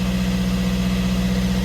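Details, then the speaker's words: Fiat 500 diesel with replacement engine of unknown history, after swapping the clogged DPF for another unit; previously it poured plumes of smoke, now it runs with steady even idle, low throb, smooth and regular, no misses or knocks; normal idle. "but it's running and whereas before we have plumes of smoke coming out now we've changed DPF over"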